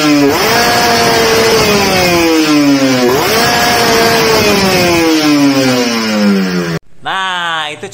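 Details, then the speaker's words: Reference motorcycle with correctly matched carburetor pilot and main jet: the engine climbs cleanly to high revs and drops back smoothly each blip, with no stumble or popping. Normal revving. "contoh yo yah settingan yang pas antara motor-motor yang itu"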